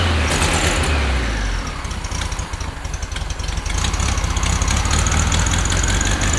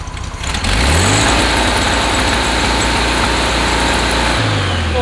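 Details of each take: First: 1969 VW Beetle air-cooled flat-four that ran badly, after changing to correctly gapped non-NGK plugs, choke partly still on: after a blip settles into steady, even chatter about three beats a second; smooth, no miss, no smoke. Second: 1969 VW Beetle on wrong-heat-range spark plugs, before plug change: engine chugs unevenly, skipping, coughing and stumbling, won't take full throttle; misfire under throttle.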